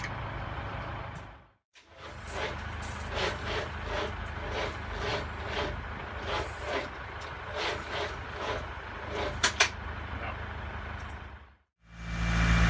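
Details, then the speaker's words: Land Rover Defender with V8 conversion, first dry start attempt without exhaust, second battery used for cranking amps: starter turns about four beats a second for nine seconds, never catches; battery suspected a little flat. "Right, well, as you just saw, that didn't work, so we've decided that it might be this battery that's a little bit flat."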